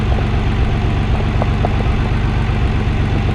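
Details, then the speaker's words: Nissan 300ZX Twin Turbo after replacing the damaged rear ignition coil, cold idle in warm-up open-loop mode: a steady, even low idle with no stumbles or misses, smoother than before. "Wow, so that's actually quite nice. I know it's still in the cold warm-up open loop mode, but yeah, I mean if there was, I mean it definitely feels smoother."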